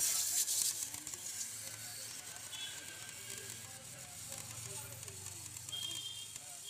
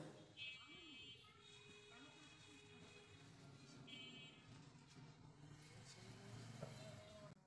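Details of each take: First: CRT TV with a failed EHT anode cap: continuous loud frying crackle from inside the set while the screen still lights, high-voltage arcing; owner warns running it can ruin the picture tube. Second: CRT TV after its EHT cap was replaced: runs quietly with a low hum, and the earlier loud crackling from the back of the set is gone; no high-voltage arcing after a long test.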